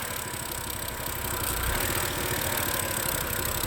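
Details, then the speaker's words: 2011 BMW E90 M3 with rough, lumpy idle, irregular stumble every few beats; smoking, started after valve cover gasket and CV valve replacement; scanner reports cylinder 2 misfire and bank 1 and bank 2 faults. "and it sounds really odd. I don't know if you guys can hear the sound."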